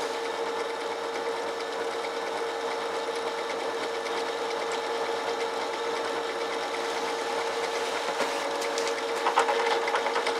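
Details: 380V electric motor rewired for 220V, triangle/star connection test, drilling with a 13 mm bit, the chuck's maximum: steady hum holding speed while the bit cuts with even rasping chatter; drill pulls through the load normally.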